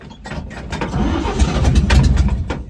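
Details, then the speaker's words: 1954 GMC 150 truck that sat 30 years, uneven cranking and stuttering catches that surge and fade without a steady idle: fuel starvation, glass top fuel pump failing and pulling air, causing stalling. "It's just a shame that glass top fuel pump has decided to not want to work with me here, but that's okay. Things happen. It's sat for 30 years. See how well it restarts, if it restarts."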